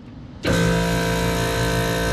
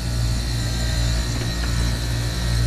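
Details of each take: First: 2020 Lennox commercial rooftop unit on 460 V: contactor pushed in and the scroll compressor starts with a loud, steady droning hum, no pitch change; compressor running backwards from reversed phase rotation. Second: Commercial rooftop AC unit compressor, after correcting reversed power phasing: a steady, even hum with no rattle or labouring; suction pressure drops, head pressure rises, suction line cold, now running normally.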